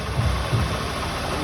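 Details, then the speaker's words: 2016 Honda Titan 160, sold as having a bad connecting rod: the loud engine noise was only incorrect valve adjustment. After adjustment, heard from a distance, it idles with an even low thump and no ticking. "Mas aí realmente não era, rapaziada, era só regulagem de válvula incorreta, rapaziada."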